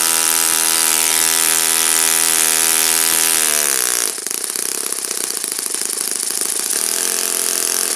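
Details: Saito FA-56 four-stroke glow engine, first run after teardown, cleaning and bearing replacement; apparently moderate-time engine on 12x6 prop, OS F plug, 5% Omega fuel. High steady buzz dropping smoothly to a lower, even idle with crisp regular firing; normal running.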